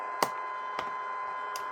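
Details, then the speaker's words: Sangean ATS-909X2 radio on medium/long wave at high volume: constant thin mid-pitch whistle with sharp crackling pops every half second; owner disputes that nearby devices cause it, source unknown. Radio interference noise. "if I push the volume you can hear this noise okay it's not my imagination it's real okay"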